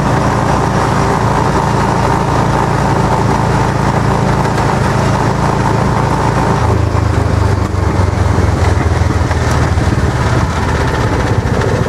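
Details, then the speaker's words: Club Car golf cart after engine swap with governor bypassed, while driving: loud, steady engine drone under load, a little louder than the stock engine, with a low buzzy shake from the roof vibrating in sympathy. Roof vibration while driving. "It's very well, a little bit louder than the stock engine. You hear that roof vibrating."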